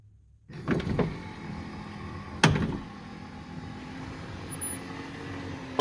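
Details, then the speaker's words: 1979 Lincoln Continental right front power window after motor and regulator repair: steady even motor whir, far better than before, but still a slight clunk at start and stop. "that is way better still got that a little bit of clunking sound which nowhere near as bad"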